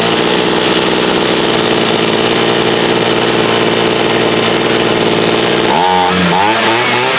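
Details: Homelite UT33650A 26cc two-stroke trimmer fitted with a Ryobi carburetor and its idle bumped up; a steady high buzz holds even, then the pitch swings near the end. It runs, though the carb still needs adjusting.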